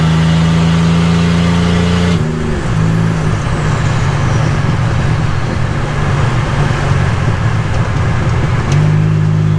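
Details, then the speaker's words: 1985 Nissan 300ZX Turbo (Z31) driving, after misfire under boost, new plugs and wires and fixing vacuum/boost leaks: loud deep exhaust drone rising, gear change, pulling hard again; runs strong in boost, not floored. "this thing's a little a little freight train it feels pretty good getting in the boost and i haven't even floored it or redlined it yet"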